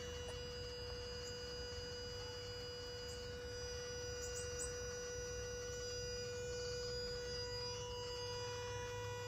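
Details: 2010 Gen3 Toyota Prius: steady electrical-sounding hum with a clear tone near 500 Hz, constant; has always made it but owner thinks it is louder now, cause unknown.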